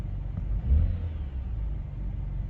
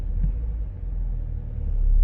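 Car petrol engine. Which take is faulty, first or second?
second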